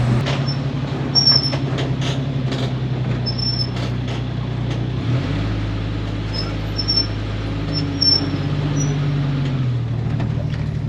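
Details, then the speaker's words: 1946 Studebaker M5 truck with Camaro 1970-81 subframe disc brakes, pads still cold: brief, thin squeal chirps over the engine drone, worse when warm; before fitting new Performance Friction pads. "but when they get warm they squeal real bad so i got a new set of pads we're gonna pull this thing in cold blooded here we go"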